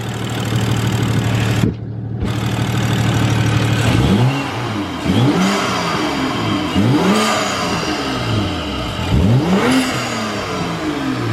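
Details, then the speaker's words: BMW F10 with N55 turbo engine after BMS intake install replacing stock airbox (filter not yet oiled): repeated rev blips with rising whoosh, audible turbo spooling and faint whistle, louder than stock; healthy spool and intake sound. "So yeah, you can hear a lot more than the stock box. You can hear like the spooling, and you can hear like a little whistle."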